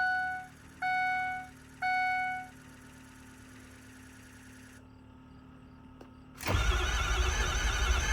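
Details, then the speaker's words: 6.0L Power Stroke diesel after swapping to an upgraded 6.7L Power Stroke starter: three chimes, a pause, then strong, quick, even cranking without firing; far faster than the old starter. "That is 5.5 million times better of starting, or I mean of cranking than what it was before. Which is good, so we know she cranks over fast as can be now, which is fantastic."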